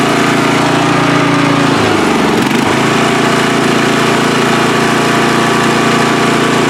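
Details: Free riding mower, engine test after gas tank was drained and fuel added; it was flooding and backfire was feared before starting. Steady, even drone with one brief dip around two seconds, then settles: running smoothly, normal running.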